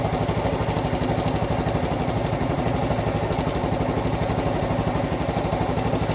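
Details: Cub Pro (Super Cub) engine after oil change meant to cure a noise: steady idle with regular ticking of about four knocks a second throughout; abnormal engine noise persists, cause unclear.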